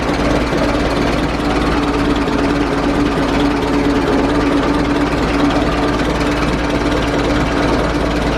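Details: Replacement USA engine fan on a 1920s vintage Dodge tourer, belt adjusted not too tight: loud, even old-engine clatter at steady idle with a constant fan hum, no rubbing or striking of the radiator or fan belt; normal running.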